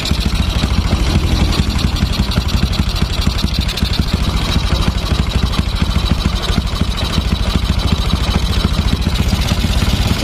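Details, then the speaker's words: Honda Supra X 125 motorcycle engine at held idle: hard rapid "dak" knock from worn left and right crankshaft main bearings, plus "cetrak/trak" clatter at idle and slight revs from worn connecting rod. "Pertama, ada suara saat posisi langsam, ada suara dak. Nah, itu suara dari bearing kruk as kanan dan kiri. Udah oblak."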